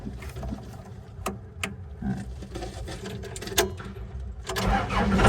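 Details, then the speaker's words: Bomag Hypac sheepsfoot vibratory roller diesel after installing a new throttle switch; cranks and catches, settles into a low rumble, then builds smoothly as throttle opens; normal start and throttle response. "Hey, it started. Cool. All right. Start it again. All right, well. Switches in. Throttle's working again."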